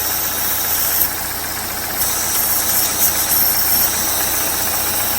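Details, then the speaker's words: First-generation (2011–2016) Chevy Cruze, engine idling with a loud airy hiss and intermittent sag; PCV port sucks a finger and toilet paper, known factory PCV/valve cover defect causing vacuum leak and rough idle. "I don't know if you can hear that, but it's definitely sucking my finger to it, and you can see the engine is not going to run right. You see how it's kind of idling down?"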